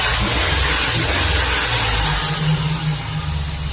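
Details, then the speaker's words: Chevy Express V8 with scored number 1 cylinder walls leaking compression into the crankcase, after engine restorer treatment, possibly not fully warmed up; rough idle with a stumbling beat about three times a second, still misfiring. "I think it's just too far gone it's misfiring now so that didn't work"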